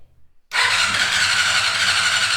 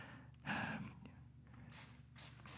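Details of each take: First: 1990 Honda CBR600 stored outside for ten years, after fixing a no-crank/no-spark fault caused by corrosion: strong, even high whirr as the starter spins the engine freely with no drag or clicking; healthy cranking. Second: 1990 Honda CBR600 stored outside for ten years: weak cranking, then ragged hiccuping bursts of firing that die away without revving, because the carburetors are stuck shut and the throttle won't open.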